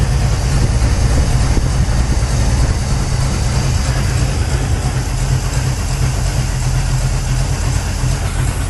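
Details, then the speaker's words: 1983 Chevy C10 square body, 350 V8, just fitted new Holley 4150 750 replacing the Quadrajet, first start in a very cold shop, choke kicked off: deep, even steady low rumble, no stumble or misfire; running cleanly, far better than before. "Let me tell you, straight out of the box, that thing runs 10 times better than it ever has."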